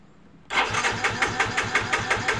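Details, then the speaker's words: Yamaha Mio J scooter cranked with injector removed: even chugging about five compressions a second, never catches; no fuel spray from injector holes, injector appears clogged, socket cracked; cranking no-start. "ada semburan minyak ya untuk di lubang-lubang injektornya tidak ada semburan minyak sepertinya injektornya ada sedikit tersumbat ya"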